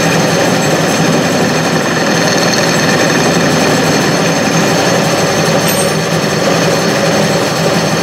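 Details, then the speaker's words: Clausing 6930 metal lathe, restored, newly fitted VFD, making first cuts on a heat-treated pin: steady even whir with faint buzzing vibration, hardly any vibration even though the lathe isn't levelled; runs smoothly. "hardly any vibration that door is indicated by a little bit bad didn't have it levels it or anything"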